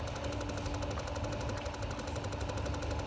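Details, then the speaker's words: Porsche with P1071 fault, engine idling: during a scan-tool drive-links actuation test the tank vent (purge) valve clicks lightly, about ten times a second; it should be run about five minutes hot, as it acts up only when hot. "what you have to do is you have to hit execute and once you hit execute the tank vent valve should be clicking so let's listen for that"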